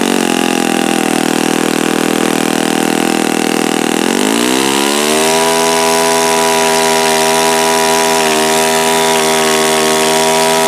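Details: Repaired OS FS-48 Surpass four-stroke (crankcase repaired after blowing out) on test stand, bearing and peak-RPM check: steady rapid exhaust buzz rises to a higher even pitch and holds; mixture richened after knocking; runs clean, no bearing rumble. Normal running.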